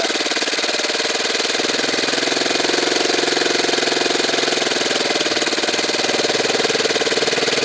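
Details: Saito twin model engine after low-speed needle adjustment, glow driver disconnected: smooth, steady high buzz at slow idle without missing or surging; normal running.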